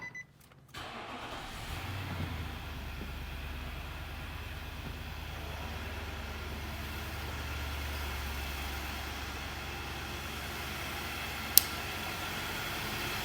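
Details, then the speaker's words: Infiniti QX80 V8 started after throttle body and mass air flow sensor cleaning: catches after a brief crank and settles to a steady, even idle, hardly any vibration, rpm needle steady. Healthy. "Nice and smooth, hardly any vibration. Nice and smooth. The RPM needle doesn't budge."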